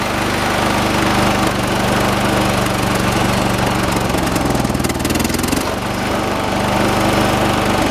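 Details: 1986 John Deere 216 lawn tractor, 16 hp single-cylinder Kohler engine, carburetor adjusted outside: loud steady chug, shaky uneven beat, brief pitch dip; heavy shake considered normal for these engines; rough running.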